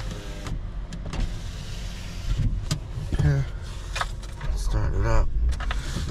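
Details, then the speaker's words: 2011 Toyota Sienna that blew its ECU IG No. 1 fuse at ignition on. With the real 10 A fuse back in, the window motors whir up and down cleanly without grinding, and the mirror works. Not shorted, though codes remain. "Let's see if we got windows and everything. The mirror turns on. At least it's not shorted. Windows open, close."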